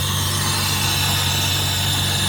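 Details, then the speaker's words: 1966 Jaguar S-Type 3.8 manual overdrive, cold-start issue: loud steady hiss over an even idle, the cold-start carburettor working normally, its plunger down, running slightly rich. "I think you guys will actually understand why they're called hissers that is one real hissing"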